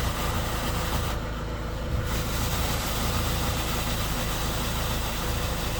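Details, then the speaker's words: 2013 Skoda Octavia A7 1.6 TDI diesel, 188,000 km, cold start: loud low rumble with uneven, lumpy beat as if one cylinder is dead, correction values off; knock disappears when warm; rough idle, cause not confirmed. "Нерівномірно. Таке враження, що один поршень відключений."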